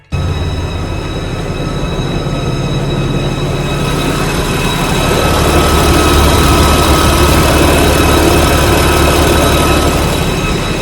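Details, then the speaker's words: 2016 BMW M4, about 78,000 miles, idling after a cold start: loud, steady whistling squeal over the idle rumble from a failed PCV valve. The valve is integrated into the valve cover, so the whole valve cover must be replaced. "It's making this loud squealing noise when the car's at idle, like when I first turn it on after the cold start, and then it makes like a loud whistling squealing noise."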